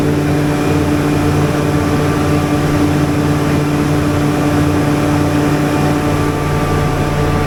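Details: Standby generator, oil and coolant full, running during a voltage check: a constant even drone and low hum with no surging or misses; healthy.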